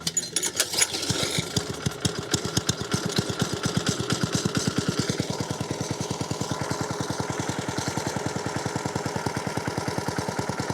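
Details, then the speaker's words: Vintage lawnmower started from cold after carburettor replacement, service, clutch repair and new shimmed cutting-drum bearings: even quick putter, about six beats a second, no misses, smooth normal idle, much quieter than before with drum spinning. "it started from cold idling patching along yeah glad to see that it's not time wasted"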